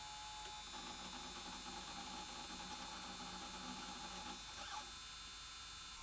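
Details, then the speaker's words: Sony J-30SDI Digital Betacam player playing a tape poorly with picture errors and red warning light. Harsh, buzzy whirring with a steady high whine from the capstan motor, making a dreadful noise. Defective capstan motor. "i think it is i think the capstone motor is making a dreadful noise"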